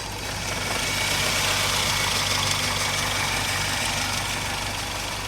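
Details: Toyota Corolla XLi at idle: fast light ticking about four per second over steady engine; valve tappet noise from loose clearance, addressed by tappet setting.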